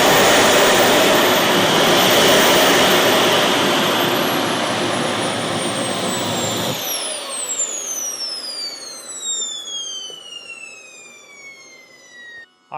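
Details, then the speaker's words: Boomerang Atom / FTL Lancer RC jet turbine at the end of its engine run on a new fuel system: loud, even roar settles, then a clean whistle falls smoothly during spool-down; test run successful. "Engine runs great, nice and smooth. Nice throttle band, lots of power when I'm holding on."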